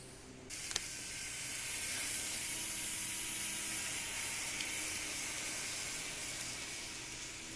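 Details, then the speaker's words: Minitrix US Army class 03.10 steam locomotive (set 11601) motor running: thin piercing high-pitched screech and hiss swells then holds, far too loud for a small model motor despite seller being asked about quietness. "uh piercing screech now I specifically asked the guy you know how loud is this when I bought it because I'm what I was talking to him like you know I'd really like a quiet engine"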